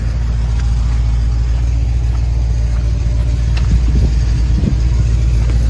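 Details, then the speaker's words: 2010 Subaru Forester XT, turbocharged, 125k miles, idling with a deep, uneven rumble and irregular stumbles; it has oil pressure but a definite misfire, and the turbo appears smoked. "has oil pressure definitely has a misfire"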